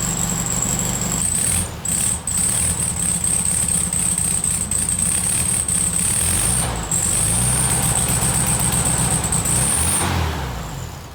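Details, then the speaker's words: VW Beetle 1300, reassembled with the carburetor filled with fuel and wiring sorted, test start before timing is set: the idle stumbles with repeated dips, then fades out; it won't hold a steady idle. "Stinky. Just doesn't want to idle."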